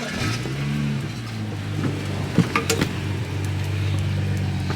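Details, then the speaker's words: BMW N55 after an exhaust rattle fix: the clamps were repositioned and refitted. The engine idles smooth, then revs cleanly and settles, with no rattle or buzz from the exhaust; back to quiet. "yes sir no rattle back to quiet here"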